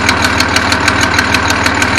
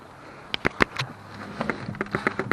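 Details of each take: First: 1974 Datsun 260Z idling, cold, with a manual choke cable: sharp, crisp ticking about six times a second over a steady idle, a bad exhaust leak at the back, with crude welds seen on the collector. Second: 1974 Datsun 260Z starting after minor repairs including a common starting issue: quick steady fuel pump relay clicks about four a second, then it cranks and catches cleanly; normal start, though idle is low and slightly rough.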